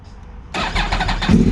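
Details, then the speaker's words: Yamaha R1 crossplane inline-four after repairs, intake setup described: quick crank catches cleanly and settles into an uneven, lumpy crossplane idle; owner says it sounds mega clean, like a 996 Ducati with two extra cylinders; normal start and idle. "just can't beat that sound to me in my eyes it it has like the classic sound of what the Ducatis the original 996 series Ducati sound like but just that little extra since it has two extra cylinders just sounds amazing it sounds mega mega clean"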